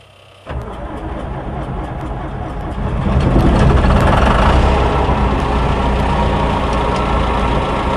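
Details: Combine diesel with battery run down after five days, jumped from an F-150, clutch pressed to cut load: slow labouring cranking for a few seconds, then catches and settles into a rough loud run; cold hard start.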